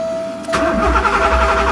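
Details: Porsche 928 sat over 15 years, starter churning engine at steady rhythm with constant whine but never catching; tach not bouncing.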